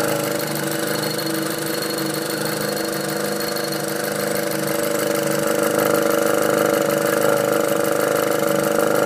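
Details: VW Golf R after a catch can install: idling engine with a fast, regular ticking chatter over a steady hum, slightly louder toward the end; abnormal noise, cause unclear.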